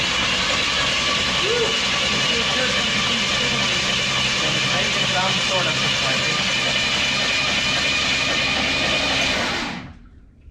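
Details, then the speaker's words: 1976 AMC Gremlin engine, off the road since 1991 (about 32 years), cranking on the starter in cold, windy weather: even, unlabored churn of about four beats a second that never catches; the engine turns over freely and isn't seized. "So there we go. We got a motor that turns over."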